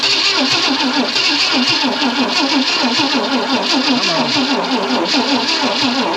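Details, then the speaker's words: 1965 Ford Thunderbird off the road since 1986, after condenser work, gas and starter fluid poured in: steady starter cranking about five turns a second, started once but now won't catch; owner suspects weak battery or flooding. "why'd you start once and now you won't start again damn it"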